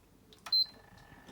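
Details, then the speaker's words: 80GB PS3 Fat, sold with a reportedly faulty disc drive, powering on after disassembly and reassembly: one short clean high beep, then a faint hum; normal startup. "So, you can see that it's turning on. So, we've got stuff on the screen. So, yes, we do. You can hear see that starting up."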